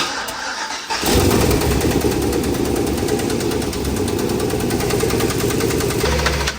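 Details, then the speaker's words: Freshly assembled 700 hp junkyard engine in turbo truck: engine settles into fast ticking knock about four a second over idle, noise inside, side unclear, definitely from top end; top-end valvetrain knock. "that does not sound good yeah that's inside yeah it's inside of the thing we can't really tell which side it's coming from"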